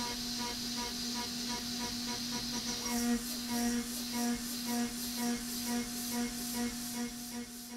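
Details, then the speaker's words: AvidCNC Benchtop Pro 2x3 router with S30C spindle cutting steel at 900 surface footage and 5% stepover: steady spindle tone, even hissing cut, soft pulses about twice a second, no bogging or shriek; a good-enough recipe. "this sounds not too bad and this might be the sort of recipe that I stick with in the future"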